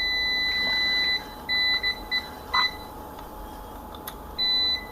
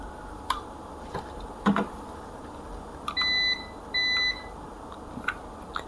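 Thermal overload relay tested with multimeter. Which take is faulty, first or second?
second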